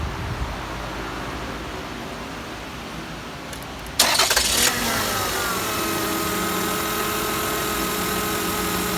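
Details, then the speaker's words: 2001 Toyota Camry V6 with a roaring noise, worse when cold, AC on or off, microphone near the alternator: engine starts, then a steady whine over the idle; the noise stopped with the alternator plug unplugged and scope ripple showed a bad diode, so the alternator was replaced. "Using the old Counselor 2, if you're looking at the waveform, this thing's got a bad diode in it."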